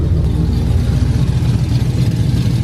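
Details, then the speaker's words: 2012 Ram 1500 Hemi freshly cammed (FRP Tomahawk cam), idling about 1000 rpm: lumpy heavy V8 idle with sharp puffing tick each pulse, a bad exhaust leak, likely both sides, spoiling AFR readings; fix planned tomorrow. "It's got a hell of an exhaust leak. I'm gonna have to fix that tomorrow."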